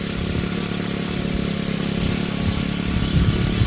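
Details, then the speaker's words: Honda GX35 trimmer engine driving a water pump, after carburetor repair, new spark plug and idle adjustment for a no-start: small four-stroke putters at a steady, even idle; healthy. "Tôi rất vui vì động cơ đang hoạt động mạnh mẽ. Động cơ chạy tốt do sửa bộ chế hòa khí (bình xăng con)."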